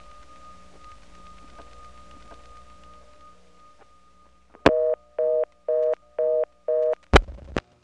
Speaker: the ESS actually gave me 21 and a half seconds after my last digit before the reorder came on